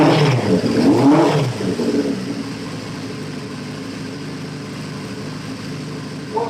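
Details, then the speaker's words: CB550 four-cylinder, long-sat project: after a quick blip it settles into an even, steady idle with no knocks or rattles. The number one carb is still overflowing petrol, possibly sticking from sitting. "at least we don't run so i'm happy that's a result and it sounded sweet no nasty knocks or rattles there"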